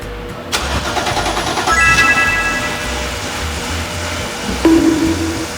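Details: BMW with no-start after two ECU and one fuel pump replacements elsewhere, caused by an improperly connected fuel pump supply hose: after reconnecting it, starter whirs briefly and the engine catches promptly into an even, steady idle.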